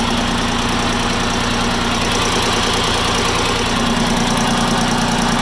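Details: Farm Pro 2425 tractor diesel, warm idle: loose, uneven knock two or three times a second over the clatter, developing 5-10 minutes after a cold start; cause still unknown.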